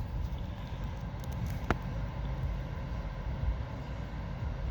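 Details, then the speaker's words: 2015 Mitsubishi Outlander Sport 2.0 ES 2WD, 59,000 miles, stopped in park: low uneven idle dropping below 500 rpm and rising to about 700, feels like stalling; same with AC on or off, no check engine light; plugs, MAF, AC Schrader valve replaced without effect; cause unknown. "just idle's really low like it drops below 500 goes up to about seven it's back and forth"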